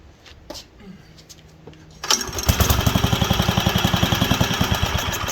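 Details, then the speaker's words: Wisconsin AENL barn-find engine, first run in 20+ years after spark restored and carb cleaned: chugs with heavy uneven pulses, three to four a second, leaning out and coming back; partly clogged carburetor high-speed port. "it's not getting enough fuel so we've got a partially clogged port somewhere"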